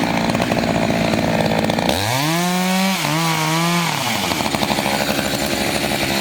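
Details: Chainsaw (owner guesses about 50–60cc, maybe 58cc) with a 24-inch bar and 3/8 pitch chain, on only its second tank of gas, cutting old wood: high revs drop to a steady lower pitch under load and then scream back up. It pulls strongly and keeps its power. Normal cutting.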